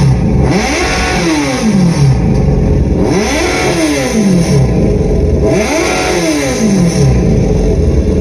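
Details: Generation 1 Yamaha FZ1 replacement engine; three clean throttle blips about every two and a half seconds, revs rising and falling smoothly; sounds healthy.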